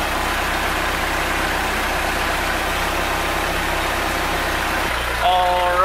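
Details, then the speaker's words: Mercruiser 3.0 boat engine after replacing the noisy water/recirculation pump: even, steady idle with smooth low rumble, no squeak or chirp and no leaks; running well. "as you can see no leaks no more noise and the engine is running great so far"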